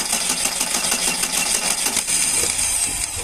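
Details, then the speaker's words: Car with crankshaft position sensor (three-pin, mounted at rear of engine block) unplugged while running: engine shuts off, then starter spins it with quick even churning but it never fires; runs normally once reconnected. Crank, no start. "únicamente salen los los cables que cuando el auto está funcionando y lo desconectamos hace esto se apagó se apaga completamente y al tratar de encender no"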